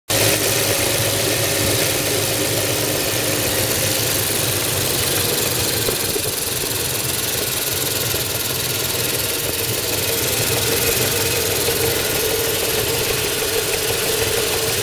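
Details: Mercedes 500CL with 119 V8 at steady idle under a busy metallic chatter, like a noisy timing chain rattle; suspected, not confirmed, timing chain noise.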